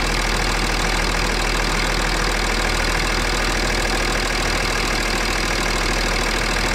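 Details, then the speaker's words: BMW X6 3.5d M57 biturbo diesel after replacing failed turbos, warm at idle: even steady clatter around three beats a second, no misses or knocks; no leaks and no smoke now where it smoked before, normal idle. "Bon, aucune fuite, rien à détecter, tout est bon. Apparemment le bruit a l'air normal."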